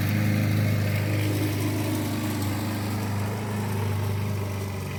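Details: 1988 Alco push mower, Briggs and Stratton auto-choke engine, running again after a non-start repair (diaphragm, a common issue), mowing with the old blunt blade: fast, steady single-cylinder beat under load, no misses or surging; normal running.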